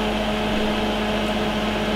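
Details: Brand-new Hailea HS-28 aquarium chiller for a nano tank, just plugged in and set to 25 degrees; steady unchanging hum with low electrical drone and airy fan rush, no rattles or cycling; chiller running normally.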